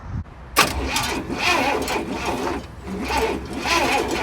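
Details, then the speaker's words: 1967 Cadillac Calais sitting 27 years, power confirmed at both sides of the coil: starter churns in uneven bursts, never fires; spark tester shows no spark, distributor points suspected oxidized and to be cleaned. "nope nope no Sparky okay well since we didn't get any action out of the spark tester here we're going to pull the cap off of this distributor and see if we got to clean the points off"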